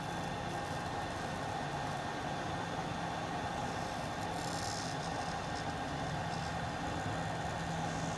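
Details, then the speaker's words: Fluke 199C Scopemeter cooling fan after servicing the noisy fan that had rubbed, bumped and ticked; a bench power supply fan is also audible. Soft, steady whir with a faint even hum, no rattle or scrape; fan now very quiet and healthy. "all right so the other fan that you may hear running is just in the power supply but this fan is now running very quiet"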